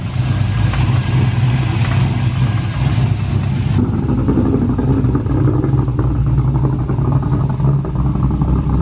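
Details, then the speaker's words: V8 with new Holley Sniper EFI, base timing not set to 15° BTDC, held on throttle to keep running, smoking slightly: loud lumpy uneven idle with ragged rumble; rough rich running from base timing not set. "so it sounds different back there right now it's running a little rich but i got my foot on the gas because i'm keeping it running right now"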